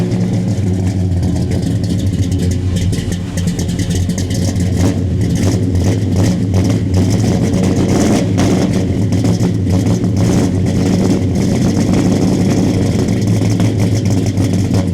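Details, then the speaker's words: 1970 Dodge Charger R/T SE 426 HEMI V8, just started cold: deep loping idle, uneven cold lope settling as it warms, no knocks or rattles; smells slightly rich, owner may tune carbs and timing; good oil pressure, normal. "but it starts it runs once she's warmed up she starts to settle into her idle"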